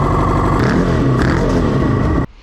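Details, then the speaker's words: Kawasaki Ninja four-cylinder motorbike engine (for Reliant Rialto swap), one spark plug seized in the head, vacuum lines off: ragged, stumbling revving then cutting out; rough running from fuel tap switched off, smoother once on. "so I had the fuel switch off so that's on it's running a lot smoother now but I'm still really worried about that plug"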